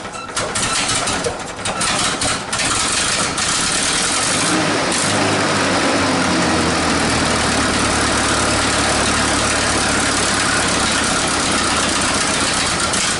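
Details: 1947 Nuffield grader revived after 20 years parked: old engine settles to a loose, uneven idle with hissy, chuffing exhaust; runs but idle unsettled, needs carburettor work, exhaust leak fixes and better cooling.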